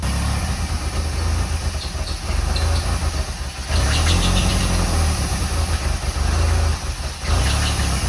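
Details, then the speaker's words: 1985 Pontiac Fiero project car with oil pressure on cranking after revival; low, uneven idle that sags and surges every few seconds, caused by a disconnected or leaking vacuum line the owner plans to replace. "It has that really rough idle because that vacuum line, I'll get that replaced."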